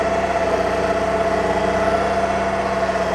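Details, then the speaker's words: BCS 630 WS walk-behind flail mower mowing under load after a turn: steady, even engine drone with a constant tone and no dips or labouring. The engine isn't struggling too much; normal running under mowing load. "mowing it quite well. The engine isn't struggling too much."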